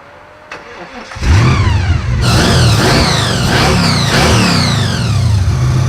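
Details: 1974 Jaguar ("Draguar"): after new carburetor needles and seats were fitted to cure a suspected stuck needle and seat leaking fuel from the boosters, engine cranks, catches quickly and revs cleanly in smooth blips, settling without stumble or misfire; runs healthy.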